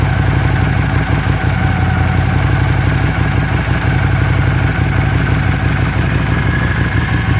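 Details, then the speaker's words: Honda CX500 twin, warm, first start after carb clean and bench sync, idle screw set to about 1000 rpm: smooth, even low idle with steady beat, no stumbling; previous no-idle-without-choke and warm white smoke problems appear gone. "so previously i could not get it to idle without the choke on and when it got warm it would skew a ton of white smoke so both those problems seem to be gone now"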